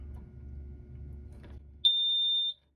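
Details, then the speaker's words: High water bilge alarm on a 1984 Chris-Craft Catalina 381 (MV Thirsty Whale), newly installed and wired to the house battery. A screwdriver pushes the float up and one steady high-pitched tone sounds. The new alarm works, replacing the old non-working unit. "if we take a screwdriver and push the float up we should get an alarm this will probably be loud I'll probably edit this sound down a little bit"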